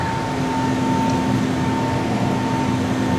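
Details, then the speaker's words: 2007 Carrier Performance 93 120,000 BTU gas furnace (model 58MTB120) running in cool mode with a 4-ton coil: loud constant air rush, droning hum and higher whine, heard throughout the house; blower noise, cause unclear. "very loud and actually got an annoying sound to it this furnace does you can hear it throughout the whole house"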